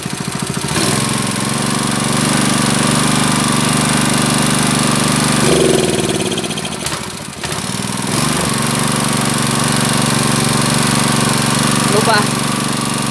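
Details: Honda GX160 water-pump engine with a black spark plug and frequent stalling, held at high rpm after starting to clean the combustion chamber, still runs rough, sagging and stumbling; the carburetor setting is suspected and the plug will be checked.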